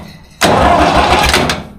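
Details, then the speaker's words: David Brown 990 diesel tractor abandoned 20 years after tipping over while running, engine hand-turned freely first, old fuel still in: cranks steadily about a second, even rhythm, no binding or knocks; turning over alright. "Yep. She's turning over alright."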